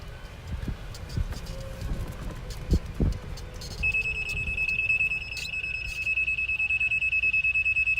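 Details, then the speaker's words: Rental golf cart driven slowly into a geofence on the course: steady high-pitched beep about three times a second as the cart stops; backing out in reverse ends it. "some members will hear the beeping sound and what that told us is that we have gotten in the geofence"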